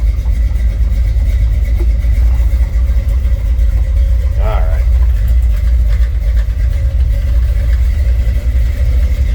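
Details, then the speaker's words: 1965 Chevrolet C10 short box V8 with electric fan switched on: deep steady rumble with slight swell in revs and fan whoosh, no knocks or ticks; good sounding truck. "Let's hear it run. Good sounding truck."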